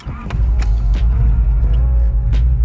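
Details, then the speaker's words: Honda Acura Integra engine, about 5000 miles on it, lost compression in one cylinder while driving: low, lumpy cranking and running with an off-beat pulse as that cylinder drops out; dead cylinder from lost compression. "the compression noise the sound you can it sounds like it's off a beat and that's because one of the cylinders isn't doesn't have compression"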